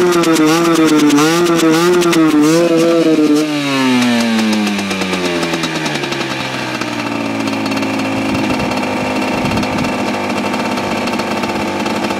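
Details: Husqvarna WRE/SM 125 two-stroke motorcycle stuttering: revs with wavering, uneven pitch, won't run properly at high revs, then drops back to a rough, unsteady idle; cause unknown, owner mentions carburetor hose and exhaust.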